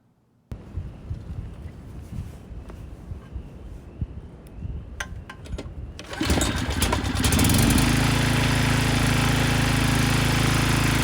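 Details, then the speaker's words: Briggs & Stratton 10hp generator engine (model 204312-0171-B1), rebuilt after a blown rod from no oil with used good crankshaft, new rod and piston, first start outdoors in wind: starts right up, steady even beat, no knocks or misses. "But the good news is the engine started right up and it sounds good. So it is ready to be put back on the machine."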